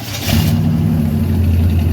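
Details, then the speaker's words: Chevy 350 V8 in a 1985 C20 Suburban, started by screwdriver: catches within a quarter second and settles into a steady even low rumble; clean healthy start, runs like a champ. "this thing fires right up. I think it runs better than most of the stuff in the yard."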